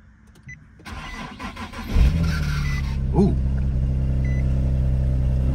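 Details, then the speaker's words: Vehicle with 202,000 miles, starting on the auction lot: it cranks and catches with a short odd rising chirp right after firing, then settles into a steady, even idle. The weird noise at first has no stated cause. "little bit of a weird noise there at first"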